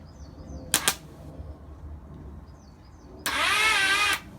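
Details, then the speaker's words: Half-rebuilt Hornet 99 engine cranked by powering the starter directly: two clicks, then under a second of strained, wobbling starter whir; cranking slow and heavy, with the engine suspected too tight from wrong main bearings, or a weak starter or battery. "so that star the matter is having issues turning the crank over maybe it's the starter motor"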